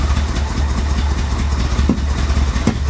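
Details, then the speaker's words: Flood-damaged Corvette from a Florida storm years ago, running off its own tank with the fuel pump in the tank: low, lumpy idle with uneven chuffing and sharp pops. Rough running; owner suspects the fuel injectors. "oh wow that doesn't sound healthy that doesn't sound healthy at all"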